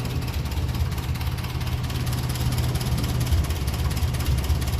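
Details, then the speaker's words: 1957 Ferguson 35 TVO tractor, warm, low idle after needle valve work: slow, deep, slightly uneven idle around two firings a second with occasional spits; running lean, mixture to be richened. "it's a little bit spitty there so I'll give it a rich it rich it up a little bit here"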